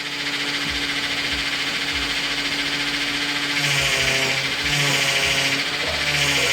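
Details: 2000 Dodge Intrepid 2.7 V6 after a power steering flush and refill: steady whine over the idle that shifts as the wheel is turned lock to lock; this is air in the system and should quiet as it is bled.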